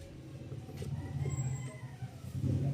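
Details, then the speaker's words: Brand-new radiator fan motor assembly replacing a noisy old one: soft, steady low hum spinning freely with no grinding, rattle, whine or play; normal quiet operation. "ayan walang ingay talaga siya tsaka wala rin siyang kalog kinalog ko yan ehog Brand new sir."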